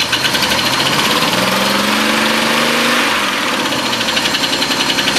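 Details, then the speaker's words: Oldsmobile Silhouette van that sat a long time, idling rough with a misfire: fast light ticking from the top of the engine that fades as revs rise and the engine smooths out; valve train tick, found to be a loose rocker arm bolt. "So I'm thinking it's the valve train. But I'll fire this thing up and I'll let you listen, and hopefully the camera will pick it up."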